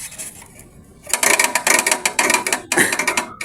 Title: maingay na Aircon na parang crasher #dailyvlog #airconditioner #homeappliance #technician